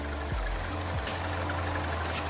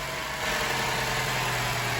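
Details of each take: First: Chevy Cruze 1.4, idling; faint repeating chirp over the engine, the typical 1.4 water pump failure, pump judged shot, coolant also leaking from bypass plastic piece. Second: 2012 Chevy Cruze 1.4 after an engine replacement (the old engine had no compression on cylinder 4), just after first start: a steady, smooth, even idle with no misses; normal idle.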